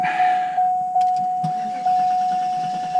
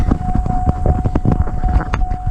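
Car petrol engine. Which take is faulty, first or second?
first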